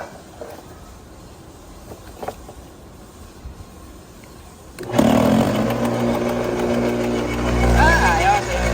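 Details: Bosch AXT 2200 garden shredder after blade adjustment to zero clearance: quiet, then the motor spins up and chews through the branch with an even, steady roar, no stalling or knocking; cutting properly.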